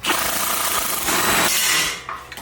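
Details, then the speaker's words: Air impact wrench removing the motor mount bolts on a 2001 Silverado 5.3 LM7 while lifting the engine for an oil pan. A smooth, steady whir with no hammering, because the bolts were very loose. The impact mechanism never engages. "these motor M bolts were very loose you hear how the impact is not even impacting"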